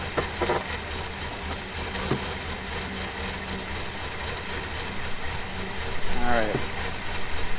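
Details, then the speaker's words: 1992 Chevy Silverado that sat 14 years, fuel pump reconnected: quiet, low, lumpy idle about four pulses a second; running rough but has oil pressure and is charging. "it is running pretty rough but that's got oil pressure looks like it's charging"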